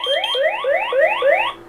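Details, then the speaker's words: X-Sense WiFi water leak detector base station, sensor set in a lid of water as a test: five fast rising sweeping siren whoops, about three per second, then silenced from the phone; leak alarm siren. "Yeah, this works ideal, and you'll definitely hear that. If you're not where you can hear this beeping thing, you'll definitely hear the siren on that."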